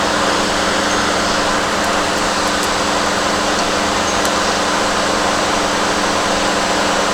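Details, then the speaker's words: 2007 GMC Acadia, 248,000 miles, after charge port valves replaced, system evacuated and recharged with about 1 kg R-134a: steady blower rush with even compressor hum, no cycling clicks or squeal; normal A/C operation. "it's 50 degree air i don't know you can ask for much more than that"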